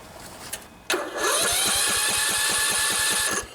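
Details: 16 HP Briggs & Stratton single-cylinder OHV riding mower engine after valve lash adjustment: steady starter whir with even compression beats about three per second, no drag; cranks freely and healthy.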